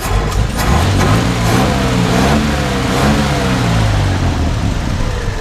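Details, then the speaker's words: 1954 Chevrolet 150 Handyman wagon engine, warmed up after running for a while: revs up smoothly and settles to a steady, even note, with the lifter tick heard earlier now gone. "and you can tell as it's sat here and ran the lifter tick is pretty much gone now so that's why i kept it running while we're talking"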